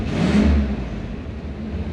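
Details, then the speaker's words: Abandoned K5 Blazer engine idling after cranking and starter fluid: strong, clean rev swelling and settling smoothly, no knocks or rattles, 40-50 psi oil pressure; healthy engine. "But boy, she sounds healthy, doesn't she? Man. Got 50 pounds, 40 pounds of oil pressure. Man, she sounds good."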